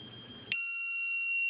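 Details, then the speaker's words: Lost-model locator beeper plugged into an RC plane's rudder servo channel, left untouched for 60 seconds: one long, piercing high-pitched beep; it keeps beeping until the rudder is moved. "and there it is now this thing is going to continue beeping as long as the battery's plugged in unless you touch the rudder you move the rudder around and it shuts itself off automatically"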